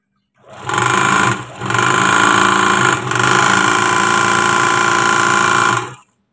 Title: SUARA MESIN OBRAS BERISIK | CARA MENGATASI MESIN OBRAS SUARANYA BERISIK | SOLUSI SUARA MESIN OBRAS